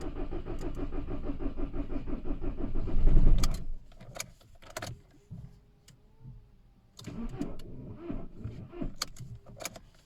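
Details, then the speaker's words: VW Caddy/Seat Ibiza 1.6 TDI CAYC diesel after cambelt and high-pressure fuel pump replacement, weak battery, fuel pump primed and easy start used: starter cranks steadily a few seconds but never fires; crank no start, cause unconfirmed. "ah batteries no good um after all that is still doing exactly the same thing"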